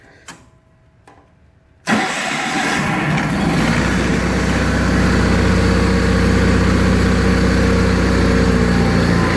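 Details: 1985 John Deere 318, cold start after sitting about three months and being reassembled. The starter turns briefly, then it catches at once and runs steadily and evenly. Healthy, though the carburetor needs a rebuild and low idle seems set low.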